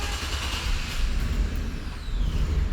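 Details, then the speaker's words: 2013 Chevrolet Express van, V6, in for no start: steady, even starter churn with no sign of catching, a far too long crank; mechanic doubts fuel, no RPM signal seen. "So, that is too long of a crank. I don't believe it's fuel related. I do know that we're not getting RPM signal."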